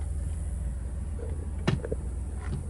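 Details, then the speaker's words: 2002 Chrysler Town & Country minivan, 3.3 L, after replacing faulty throttle position sensor that caused intermittent stall and bogging: smooth even low idle, no hunting or stumble; TPS reads normal 14% at idle. "yep it's normal because the old throttle position sensor at idle instead of it being 133 14% would be 56 but it wasn't idling that fast"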